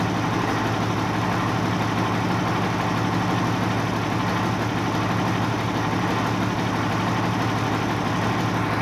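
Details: 1989 Ford Cargo diesel truck, first start after sitting one month, fired right up while checking battery; steady even diesel clatter, constant low drone at idle, no misses or knocks; idling normally.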